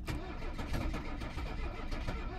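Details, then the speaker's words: 1982 Mercedes 300SD turbo diesel, sat about two years, after priming fuel to the engine: steady rapid starter cranking with uneven chugs trying to catch but never running; smoke seen, possibly near the turbo; fuel delivery suspected. "sounds like it wants to start got some smoke coming from over there now i don't know what that is"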